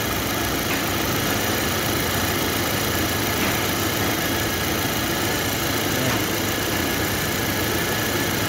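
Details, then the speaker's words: Ford Territory 2022 steady idle with coarse buzzing shake and light rattle, vibration felt in steering wheel and stronger in reverse/drive; failed engine mount, rubber collapsed with no clearance and touching the metal. "Yun nga guys yon ang dahilan yung engine support niya yung sira Wala na siyang clearance dumikit na niya ung rubber niya sa ano mismo sa may sa metal kaya nagba-vibrate siya"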